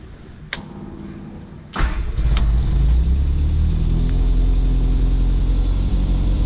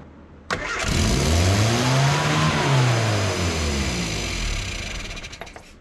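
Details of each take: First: Austin America with SU carburetor, after new fuel filter, fuel pump repair, new battery and mixture adjustment: a couple of clicks, then the engine catches and settles into a steady, even idle with smooth low rumble. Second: Austin America (Mini series) with S.U. carburettor just after starting: engine races to high revs on its own then slowly sags instead of idling; suspected misadjusted throttle cable not closing, just readjusted, possibly pulled too far.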